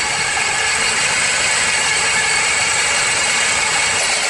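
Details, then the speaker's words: Engine running, noise heard through a screwdriver/bolt held on the alternator as a probe, power steering pulley sounded fine: harsh continuous metallic rattle and scraping, magnified through the probe; alternator bearing failure. "Yeah. Every time it starts to rattle, you can hear it big time in here. It gets magnified."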